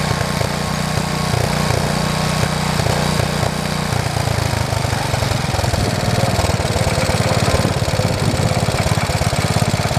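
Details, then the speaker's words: 1973 112 tractor after new points, coil, condenser and points readjustment: small single-cylinder chugging at fairly steady idle, slightly uneven at first then settling; normal idle. "you know to be 100% honest with you I thought that tractor would never run again after I pulled that apart that's amazing"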